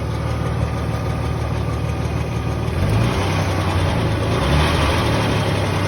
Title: 2003 Nissan Xterra 3.3 (non sc) ticking noise